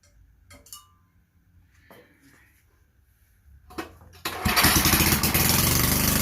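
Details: Vintage Generac Niagara generator model 5621-0 with 5 hp Tecumseh engine, after replacing gas hose and air filter: quiet handling, then the small engine catches on choke and settles into a steady, even single-cylinder run with no misses; running normally.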